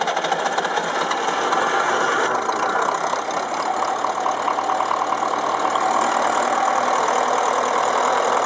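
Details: Ferguson TEF-20 diesel tractor first run after full engine rebuild (pistons, liners, bearings, valves, springs, clutch, seals), injection pump re-timed after being 360° out: even clatter at steady speed, no misfire or hunting; running smoothly.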